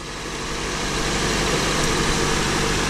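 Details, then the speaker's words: Acura TSX that clicked but would not crank, now idling with a battery terminal removed: smooth, steady idle that does not die, so the alternator is good and the battery is bad. "all right car did not shut off"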